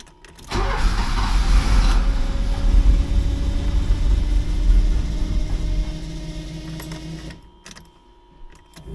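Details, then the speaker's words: 1979 Porsche 924 restarting after a stall following a fuel tank clean: it catches into a rough, uneven idle that fades after a few seconds; the fuel filter was found installed with the flow going the wrong way, to be reversed. "But it is running now. I'll let it warm up for a minute or two, and then I'll shut it off and change that fuel filter around."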